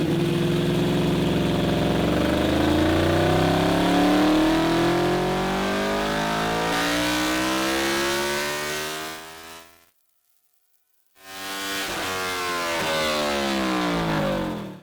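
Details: Stock Honda VFR800 782cc V4 VTEC at full throttle on a dyno, making 106 hp at the wheel: smooth clean rise in pitch through the revs, brief lift and a second pull; strong, even running.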